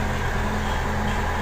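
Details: Medium bus AC after compressor, condenser, dryers and worn B64 fan belt were replaced (old compressor growled badly): smooth, even hum, steady low drone, no rattle or growl; low side settled from 40 to 30 psi, pipes very cold, healthy running.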